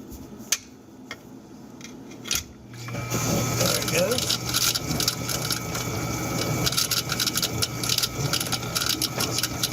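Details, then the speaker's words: GE dishwasher that only filled and wouldn't wash or drain, motor seized probably from sitting, freed by turning its blades with a screwdriver: handling clatter, then steady low motor hum with water swish; motor now runs freely. "the motor was just a little seized up probably from sitting either they don't use it much so that's a pretty easy one there"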